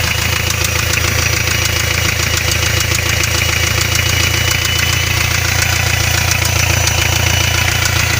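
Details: Hyundai 2.5 TDI diesel, warm idle: no knock when cold, then a light knock like a valve with excess clearance develops, uneven three to four raps a second over diesel clatter; oil pan removed showed spun bearing shells on cylinder 3 connecting rod, blamed on turbo failure.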